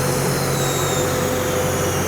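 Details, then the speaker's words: Diesel machine driving a hydraulic pump as the flow-meter loading valve is wound in and pressure rises toward relief: steady drone sagging slightly as the engine labours under the hydraulic load, as expected. "And as the pressure starts to increase, we start to see that movement on the XY view. You can also hear the engine starting to labor down."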